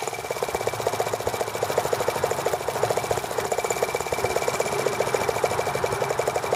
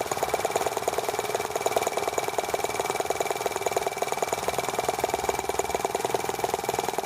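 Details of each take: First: T26 model engine run at low speed on idle: light, fast, even ticking about ten per second with a faint high tone as spark arcs around the plug instead of firing cleanly; fuel line had been kinked against flywheel. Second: T26 model engine on a cold, wet day after unkinking a fuel line that touched the flywheel, plug arcing when humid: fast, even high-pitched buzz with no misses; running cleanly now.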